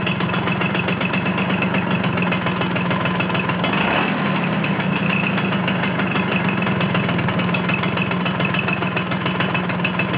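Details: Vespa T5 two-stroke at steady idle with a constant metallic rattle over the engine beat; the noise disappears when the clutch is pulled in. Metallic engine noise.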